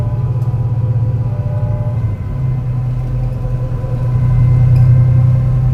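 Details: Torrens Transit Adelaide bus #757, MAN NL202 on CNG with ZF Ecomat 5-speed automatic, climbing hilly G21 route to Aberfoyle Hub; deep labouring drone with uneven stumbling pulse in the low rumble: bad engine misfire under load.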